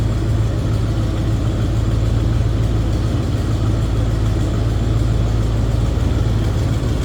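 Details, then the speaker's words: 1977 Chevrolet K5 Blazer Cheyenne 4x4, recorded from the rear at the exhaust: smooth, deep V8 cold idle with a steady low rumble and moderate exhaust note, nothing crazy or over the top, even and healthy; normal cold idle. "Nothing crazy or over the top as far as the exhaust goes."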